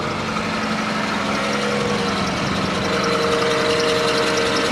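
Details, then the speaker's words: 1990 Chevrolet Cavalier, odometer suspected rolled back, on a cold start: steady idle with a thin, high squeak fading in and out over the engine hum; slipping accessory belt, engine idling without misfire. "the squeaky belt it don't sound bad you know that's the odd part"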